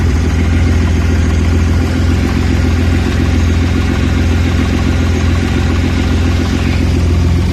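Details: Audi A4 B7 3.2 petrol V6 idling cold: deep, uneven thrum that wavers rather than running smooth; recurring rough idle when cold.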